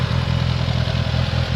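Uneven idle with a dull low knock repeating steadily under the exhaust rumble, the kind a worn rod bearing makes.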